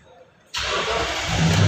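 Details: 2013 Toyota Sequoia with a no-crank, no-start fault, after correcting reversed starter and fuel pump relays: after a pause the engine fires instantly and settles into a steady, even run. Normal engine start.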